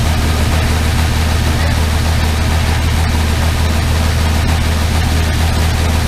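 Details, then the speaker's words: Armstrong Siddeley Star Sapphire-engined open sprint special started for the first time in probably over 40 years: deep, even, steady idle with no knocks or misses, sounding remarkably sweet and healthy. "Well, that sounds remarkably sweet. I win."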